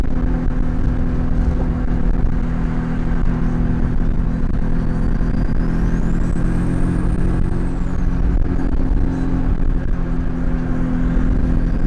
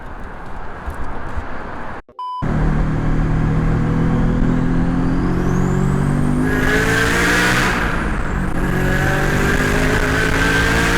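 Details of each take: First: Turbo FR-S, GTX3076, CX Racing header, Turbosmart 38mm wastegate, eBay intercooler with shortened piping, in-car hard pull: strong engine roar with rising turbo whistle; overboost about 13 psi (previously 16), wastegate adjusted afterward. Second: FR-S with GTX3076 turbo, CX Racing header, Turbosmart 38mm wastegate, eBay intercooler and piping, 3in downpipe, Ecutek tune: hard pull with a strong rising engine note and climbing turbo whistle, boost now about 12 psi after adjustment, down from 16; healthy normal boost.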